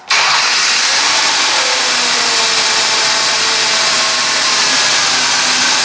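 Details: 2002 Ford Taurus SES after fixing a P0301 cylinder 1 misfire by replacing the fuel injector and reconnecting a dangling hose that had caused a rough start; engine catches at once and settles into a smooth, even, healthy idle.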